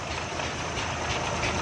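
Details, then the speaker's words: Suzuki FX 796cc car that wouldn't start because petrol and gas were mixing: with the gas shut off and running on petrol, it idles quietly and evenly with a soft hum, no misses or knocks. "देखें दोस्तों, एक चीज़ पर हमने स्टार्ट किया है, गैस पीछे से हमने बंद कर दी है, तो ये दोनों चीज़ें मिक्स हो रही थी।"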